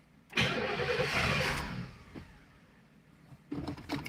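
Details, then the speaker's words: Car on its first start in 30 years catches and roars briefly, then dies within seconds, followed by more cranking and sputters. It is starved of fuel. "it's running and right on the fuel here it goes right there ran out of fuel"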